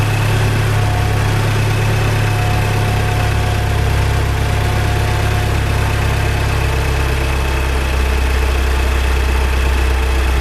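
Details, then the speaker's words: Salvage Audi A3 2.0 TFSI run nearly to operating temperature: steady idle with light uneven tick about a hundred a minute from one side of the engine; owner suspects the fuel pump, source unconfirmed. "so i've run the engine up nearly to temperature didn't quite get there because there's quite a lot a loud ticking noise coming from this side of the engine so i didn't want to run it any further it's not horrendous but it's just enough for me to be aware of it"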